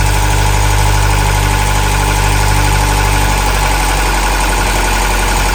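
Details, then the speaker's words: Engine just after head gasket job, first start with all four plugs: steady idle with light quick ticking over the engine note, not perfectly even; valve tick, slight valve adjustment suspected. "sounds like it might need a slight valve adjustment but besides that she's running"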